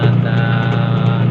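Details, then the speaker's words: Washing machine that had a loud hum, test-run after the gearbox was replaced: a steady, low, even hum with no knocking, grinding or rattling. No longer noisy; normal agitation. "tine-testing na natin yung kinabit natin na gearbox ayan kung okay naman siya at Ah"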